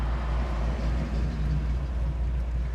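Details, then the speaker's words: 1968 Chevrolet Camaro with an LS1 V8, warm, idling at a light with 40 psi oil pressure and the tach not bouncing: a steady, even low rumble with a slight lopey cam chop and no knocks or misses; a smooth, healthy idle. "Look at the tack. Not bouncing up and down. We're idling smooth. It's nice and quiet."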